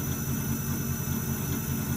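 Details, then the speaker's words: Alternator on an AD100 tester using the Ford SIG system at about 650 rpm, later raised toward 1500–1650 rpm, reaching 14.1 V. Quiet steady hum with even low pulsing and no grinding or whine. Normal alternator operation. "Now the alternator wants to do something. You can hear it starting to hum a little bit."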